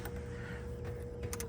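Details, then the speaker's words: 1978 VW Super Beetle convertible, heater blower fan switched on: a quiet, steady motor hum at a constant mid pitch, with air felt at the vents; normal blower fan operation. "Okay, let's see what else works here. The fan should work fine."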